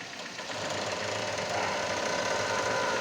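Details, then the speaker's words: Kia Cerato 1.6 16v, front right suspension: quick uneven knocking, about four a second, from a worn stabilizer link; another shop replaced the shock absorber kit without fixing the noise, and the link was then removed. "esse barulho é proveniente apenas da bieleta trocar o kit do amortecedor dizendo que o cliente ia resolver e não resolveu"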